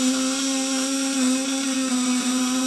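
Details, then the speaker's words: Fish-shocker inverter at 24 V, probes dipped in water, output around 200 W and raised: steady, smooth mid-pitched buzz, no rasp or wavering; wet probes give smooth sound, dry ones rough; running cleanly. "Karena kalau setting di rumah saya sarankan celupkan stick ke air, nanti dia suaranya halus ya. Kalau nggak dicelupin ke air dia kasar, apinya besar."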